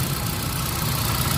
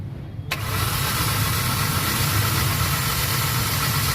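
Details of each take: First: Hyundai Accent petrol engine after fixing P0300/P0301/P0302 misfire and no spark on cylinder 1 by fitting a new genuine coil; check engine light cleared, steady even low idle hum, no vibration or misfire: normal idle. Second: Hyundai Accent petrol engine started with check engine light blinking: rough, uneven idle with strong vibration and no power, misfire codes P0300/P0301/P0302 from no spark (coil suspected) on two cylinders.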